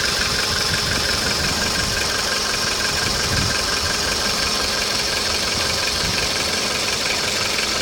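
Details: Hot VW Polo engine at idle with a fairly regular knock near three per second over the engine hum; a clear knock when hot, cause unknown.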